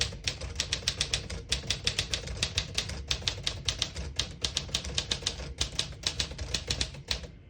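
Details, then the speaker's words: Serviced 1954 Smith-Corona Silent-Super portable typewriter, ribbon switched back to black, typing a sentence: crisp, even clacks at a quick pace with short pauses. Every key strikes cleanly with no skipping or sticking, a normal typing action. "As you can see, all the keys type nice and none of them skip or stick. I'll type a sentence on the next line."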